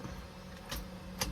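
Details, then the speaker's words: Car, owner says it won't start: the radiator fan runs immediately, and turning the key gives only repeated single clicks with no cranking. It took seven tries before it started. The TCS traction control light stays on, and the cause is unconfirmed. "start tayo start ako paps pap [Musika] ayaw click lang dalawa tatlo"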